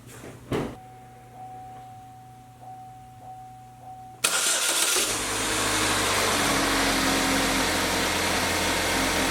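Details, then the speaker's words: GMC Terrain 2.4 Ecotec (CA emissions) after exhaust manifold replacement and broken-stud repair: clean start settling into a smooth, quiet idle with no startup rattle or exhaust blow, no exhaust smell in cab; normal startup and idle. "much quieter much quieter much wider there's no rattle upon startup not hearing that loud sound coming from the engine and most importantly there's no more exhaust smell in the cab"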